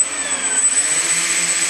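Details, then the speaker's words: RC 747-8 model's electric ducted fans at about a quarter throttle, a very minimal run. Smooth high-pitched whoosh with a thin steady whistle, even and healthy. "That's on very, very minimal. That's on about a quarter throttle."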